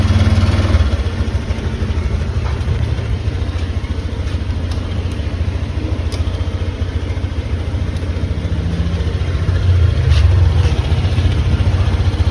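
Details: Motorcycle running on a newly fitted LiFePO4 battery with BMS and active balancer: low, even thumping of about four beats a second that holds steady through small revs, with music behind it. This is a healthy idle.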